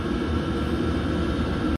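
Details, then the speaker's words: 8 kW 12 V Chinese diesel air heater set at 35 degrees, exhaust fumes cleaned up, unit burning hot, running normally at high airflow: steady low rumble, even fan rush, constant hum, no ticking or surging. "really really powerful the amount of air coming out from that and this is set at 35 degrees at the moment"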